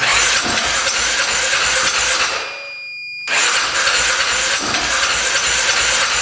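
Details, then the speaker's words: 2010 Polaris Sportsman 550 EFI ATV that hadn't run in years, cranking after a clogged case breather line was cut: steady fast cranking about three turns a second with a pause, almost fires but no catch; cranks but won't start. "That was the closest we got so far. That almost fired up."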